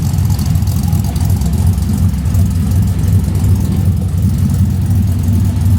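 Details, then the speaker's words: LS V8 swapped into a 1988 Ford Bronco, warming up toward thermostat opening, less rich than before, ECU pulling about 10° timing: low, lumpy but even rumble with no knocking; normal warm-up idle. "Let it idle a little while and we'll make sure everything's good. Get it warm again. I'd like to see the thermostat open."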